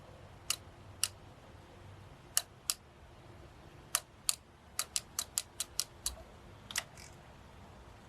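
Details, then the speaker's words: Old Suzuki Burgman scooter after reassembly, key turned on: sharp irregular clicks, about a dozen in eight seconds, with no fuel pump whir following; pump not priming, owner suspects rear fuel pump is bad. "I did hear it clicking, but I don't hear the fuel pump coming on."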